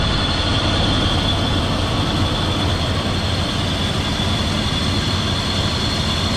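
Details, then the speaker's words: 2002 Dodge Durango R/T idling after water pump replacement during leak check: steady hiss with high thin whine from the worn, noisy A/C compressor clutch bearing; A/C to be bypassed with a shorter belt. "so currently uh you can hear the bearing making a lot of noise but it's just so we can check for leaks"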